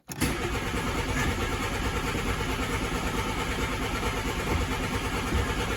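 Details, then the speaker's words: 1988 VW Polo MK2 breadvan, carburettor just cleaned and refitted, carb empty: starter turns engine over steadily but it never catches while fuel is pumped up; it later fires with carb spray. "It's going to take a little while to pump the fuel up, I think. So we'll just turn it over and see what happens. Carburetor was empty because I cleaned everything out on it, so it's going to take a while."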